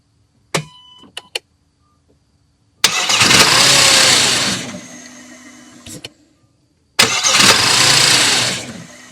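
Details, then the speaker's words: 2006 Audi A6 Quattro 3.2L, intermittent no-crank: sharp starter clicks without cranking, then a later attempt cranks and starts. Diagnosed as a faulty starter, which was replaced. "so during the the testing part of that you saw that the starter clicked and then the next attempt it actually started"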